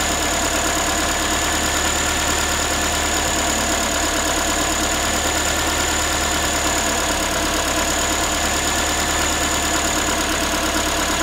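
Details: Ford Focus 3, 1.6 engine (125 hp), idle after a cold start: a tinny, tin-can metallic rattle at about three per second rides over the engine. The owner is asking what it is, and the source is not pinned down.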